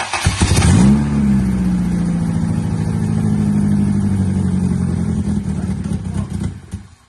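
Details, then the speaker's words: Honda Civic Si EP3 race car build, engine just installed, radiator not yet fitted; catches right away, quick rev flare, then steady even idle with firm low beat, running healthy. "Got a running motor now."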